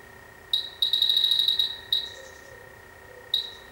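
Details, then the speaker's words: Dry air generator that lost its refrigerant, electronic leak detector near the pressure lines to the oil and pressure switches: high chirps, a quick rattling burst, then single beeps. Unclear why it picks up there; the sump plug is also suspected. "And when I stuck that in there, it's saying there's something in there. But then why is it picking it up off of here?"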